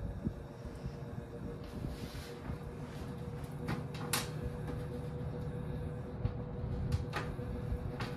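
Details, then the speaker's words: 1968 GE W-22 three-speed box fan on low: steady low hum with thin ringing tone and scattered clicks; something resonating, unknown source, possibly the cage rather than the motor, which could use re-varnishing; fan is loud and off balance. "I don't know what's resonating no idea what's causing that sound"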